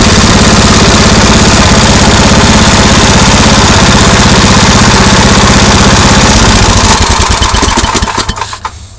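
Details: MTD 8 hp two-stage snow blower, Tecumseh engine sat about 10 years, after carburetor work and adjusting the bottom mixture screw: steady even putter around 200 beats a minute, then shut down; healthy normal idle.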